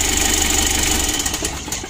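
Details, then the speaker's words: Mitsubishi L300 diesel at idle after an adjustment: the droning sound is gone and only a fast, light ticking remains over a steady idle; the tick comes from the injection pump. "untuk seorang itiknya ini pada injection pump ya injeksi pump nya itu suaranya etik begitu"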